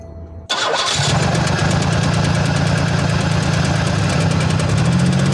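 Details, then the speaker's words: Pontiac engine after nitrous hits: cranks, catches, then settles into a rough idle pulsing about four times a second, smoking with oil in the intake; blown head gasket. "oh i know what it is the head casket flew that's why it looks like that and it smells like it"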